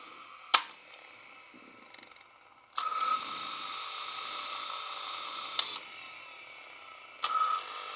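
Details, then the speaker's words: Sony WM-10 Walkman cassette player, about 35 years old, fully refurbished and oiled; loud clicks from the controls, then a steady thin whine while the tape plays; the drive motor noise grows louder with age. "it ages this noise of the motor is getting louder and louder and louder"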